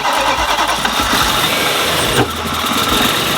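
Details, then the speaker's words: Supercharged BMW E92 M3 V8 after supercharger kit install, worse at every start after the first good one: cranks and catches roughly with an uneven, stumbling beat and missing pulses. "even though when we started up the first time it sounded mint she's running oh I happy that then every time we started it after that it got progressively worse until it sounded like"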